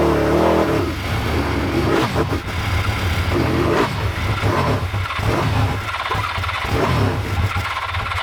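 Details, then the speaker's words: Old Suzuki GS500 twin, started only by covering the carb intake by hand: it revs up unevenly, then sags and stumbles without settling into a steady beat. Poor idle. "well it works again but it's not really idling very well"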